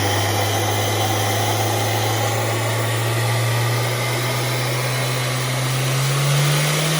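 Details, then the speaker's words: Honda S2000 with Kraftwerks Rotrex supercharger after 8-rib ribbed belt conversion, belt freshly tensioned; smooth even note rising slightly with revs, no squeal or belt slap; running healthy. "Okay, ready to go. Fire it up. Running smoothly."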